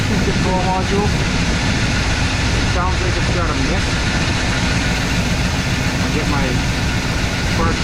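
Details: IHC/Blazer wrecker, previously no-start, after battery recharge and timing adjustment: steady, even low V8 rumble with no misses, knocks or surges at idle. Normal idle.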